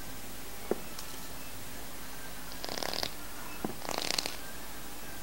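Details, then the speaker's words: CNC-made fused clapton vape coil at space 50, after space 40, fired at 40 W, about 0.35 ohm: quiet hiss with short sizzling crackle bursts each firing, sounding softer than space 40; normal coil crackle. "ini suaranya agak agak lebih lembek dari no0 ee dari Space 40 tadi ya"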